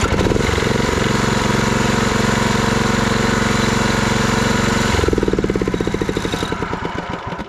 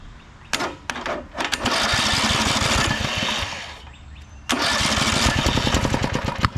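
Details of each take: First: Walk-behind mower engine being modified for towing behind a quad, run on a jump pack with key switch, solenoid and kill switch working: steady single-cylinder thumping at an even pace, then slows and fades when killed; runs cleanly. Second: Walk-behind mower engine hydrolocked with gasoline in the crankcase; after draining the fuel-diluted oil, it catches after a few pulls, then runs rough and uneven with popping, stumbling, sputtering firing while spitting liquid.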